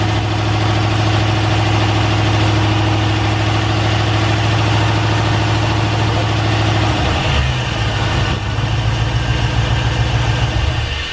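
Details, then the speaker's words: Honda S2000 with LS1 V8 swap, brand-new remanufactured long block replacement engine, first start on conventional break-in oil: deep, steady V8 burble, even beat, no knocks or ticks, idle dips slightly near the end; healthy idle. "how'd you hear the motor sounds fantastic this is the new replacement motor and it sounds great"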